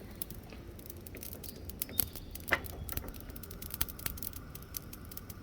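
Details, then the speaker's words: Nexgrill 5-burner propane grill after replacing the push-button spark igniter: scattered sharp spark clicks in a quiet room but no whoosh of gas catching; end burner not lighting while the others lit. "Yeah, that one may not work. That's this one right here I'm looking at. For some reason that's not lighting."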